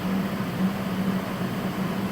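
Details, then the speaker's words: Water chiller for an HL 1060G 100W CO2 laser cutter, switched on with coolant level in the green; steady low hum with an even drone, no knocks or rattles, compressor running and starting to cool — normal compressor running. "That means the water chiller is working and start to cool."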